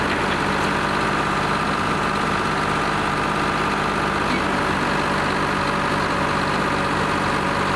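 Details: Lima 34 shovel at its first start-up after repairs, before greasing and digging: steady, even diesel clatter holds a constant speed with no misses, knocks or hunting, a healthy idle on this two-stroke Detroit.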